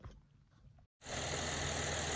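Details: GMC Acadia/Chevy Traverse after power steering high-pressure hose replacement and bleeding: engine settles into even idle with no pump whine, no bubbles; power steering quiet, normal operation.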